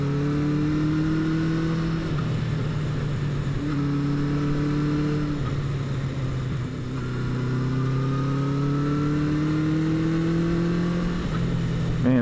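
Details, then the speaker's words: 1977 Honda CB400 Four, first ride after rebuild with new exhaust at about 43°F (6°C): smooth four-cylinder pull rising through each gear, dropping cleanly on shifts, no misses or knocks; owner judges carb sync close; healthy running. "just sounds so good I the sink has to be close because well it wouldn't it wouldn't run this good I mean it sounds good like I you can just hear when it's right"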